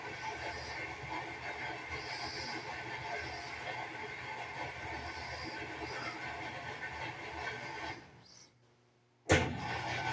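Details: Washing machine in the final spin cycle: a steady rushing roar with a thin squealing edge as it struggles to gain speed; owner suspects the belt is slipping and about to break, cause unconfirmed.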